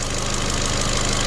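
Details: Ford Fiesta mk7.5, ex-auction repair project, idling while raised for an oil service: steady, even idle with smooth low hum, no knocks or ticks; small engine sounds healthy, timing belt not replaced.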